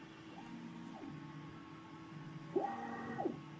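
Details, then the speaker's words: Prusa MK2S 3D printer after a full year of use: faint stepper tones rise and fall with each move, and a ringing hum swells as the bed travels; the Y carriage resonance can be heard all over the house. "my only complaint about this printer is the same one I had on the first day and the same one that I have today and that's the noise it has just the right resonance on the Y carriage that you can hear it all over the house"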